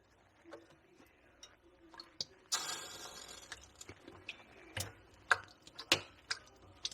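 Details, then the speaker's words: Samsung freezer taken apart to clear a clogged drain causing a leak: the defrost area is hot, with scattered sharp crackles, ticks and a brief hiss like water spitting on a hot element as ice melts. "Sizzling."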